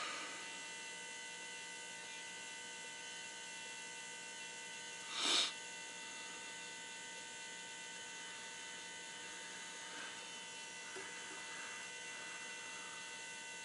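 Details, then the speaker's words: Truck with engine off, key on after an oil and fuel filter change: faint, steady electric hum with a single click as the lift pump primes the new fuel filter normally. "he'll sit there and do this so you can hear it running just let it do that for a while"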